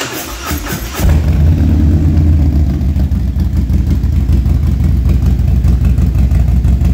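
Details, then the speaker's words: Harley Street Glide ST with a 135 build, cold start after an engine noise repair with new lifters and a new camshaft: brief crank, then a steady, even, deep lope with no tapping or rattle. Normal cold start. "This thing's stone cold, too, guys. There's no editing trickery here. This is dead cold. This is cold start."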